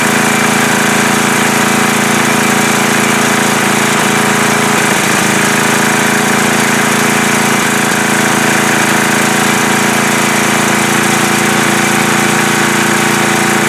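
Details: Coleman Powermate MAXA 5000 ER generator after the new carburetor's needle was fitted to the old carburetor and the mixture leaned out: steady, even buzzing at constant speed without stumbling. Runs properly; owner notes occasional clinking from the front cover, not rod knock.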